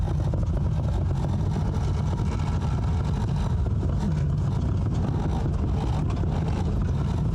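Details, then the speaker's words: Old police cruiser revived after 40 years abandoned, on a slow drive on destroyed tires and wrecked suspension: steady low engine drone under light load, engine pulling smooth, no knocks or misses, transmission shifts fine. "The car is actually moving, engine is pulling smooth, transmission shifts fine. I cannot believe we actually got this thing running."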